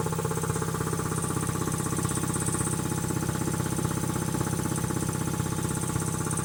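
Steady, even pumping beat at roughly three strokes per second with a smooth motor hum underneath; compressor running healthy.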